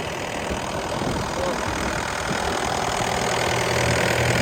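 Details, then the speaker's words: DX63 six-and-a-half-ton digger diesel finally started after persistent no-start trouble, with an AdBlue fault returning: steady, even, unbroken chug with wind and rain behind; engine running normally. "got it going am I glad to hear that engine going"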